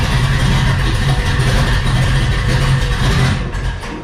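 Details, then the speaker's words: High-compression LS3 in a Trans Am, BTR cam, PRC heads, Trick Flow, claimed 700 hp NA, Flowmaster exhaust: loud, lumpy, choppy idle with a deep uneven lope, steady and clean; normal cammed V8. "Yep, she's a bit rowdy. Those are flow masters."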